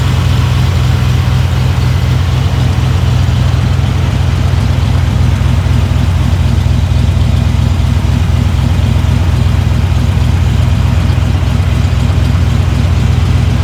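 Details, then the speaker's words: Long-sitting Jeep Cherokee Chief after oil change, fresh battery and float bowls filled with gasoline: deep even burble at steady fast idle, no knocks or misfires, idle slightly high; drives and stops well; normal idle. "drives good, stops good. You can turn the idle down a little bit, but damn, I can't believe it's been sitting that long and runs as smooth as it does."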